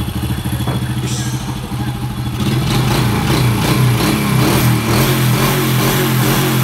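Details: Honda Supra motorcycle after repair for tek-tek noise, engine only, body not yet fitted: even idle then clean revs with no top-end ticking; healthy.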